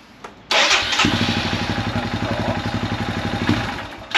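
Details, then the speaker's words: Royal Enfield Himalayan 411 that cut out once warm: starts, idles slightly high around 1,400 rpm, then revs sag unevenly and it cuts out. It won't restart when warm; cause unknown despite a new plug, valve adjustment and relay changes. Stalling and poor revving. "You can hear it, I mean, the rev's dropping a little bit. It does rev. Or it does that."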